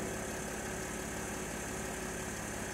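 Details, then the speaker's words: Mercedes GL idling smoothly after an Airmatic air suspension repair, with a steady low hum and no knocks, ticks or hiss; the compressor has stopped and the car sits at the correct ride height. "has stopped cars at the right height everything is pretty good"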